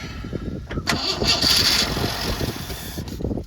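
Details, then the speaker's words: 1986 Ford F-150 farm truck that sat for over a year and has never been seen running. Starter cranks in uneven beats about three a second and it never catches. Owner suspects a fuel problem, likely a dead fuel pump. "I'm going to say it's probably fuel related issue I'm kind of back to where I was a year and a half ago"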